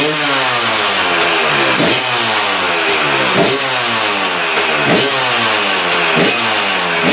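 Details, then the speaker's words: KTM two-stroke after replacing reed valve: crisp rising and falling revs with clean even firing through every blip, no stumble or misfire; sounds a lot better than before; normal revving. "So there you go, guys. So that's it. That's how she sounds now. A lot better."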